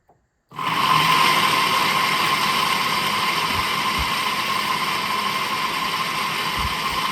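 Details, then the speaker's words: Fan motor removed and bench-run on a 12 V source: steady hum with an uneven chunky, crunchy thump underneath; rough-running, owner suspects bearing and plans to open and grease it rather than replace. "so you can hear that it's kind of it's It's kind of chunky sounding I mean it's not bad all"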